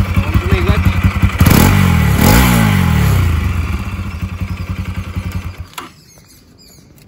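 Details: Bajaj Pulsar AS200 after repair of a seized engine, with a new water pump seal (oil and coolant had been mixing) and new clutch plate: even idle beat with two clean throttle blips. Runs smooth and healthy.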